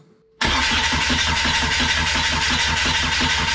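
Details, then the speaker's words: Kubota V2403 diesel swapped into a TJ Wrangler, first start after removing the injection pump and adjusting its timing: it catches suddenly after cranking and runs rough with an uneven knock, seeming to idle lower, with air in the fuel lines. "definitely got some errand lines this for sure okay that has really changed that's a much different sound than what I'm used to"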